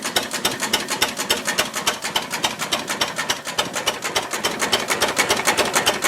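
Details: Ruston Hornsby PR, about 1926, horizontal single-cylinder petrol-paraffin engine, on petrol after leaning a too-rich mixture, apparently first start in 5 or 6 years: even, unhurried ticking about three and a half beats a second, no misses or knocks; normal idle.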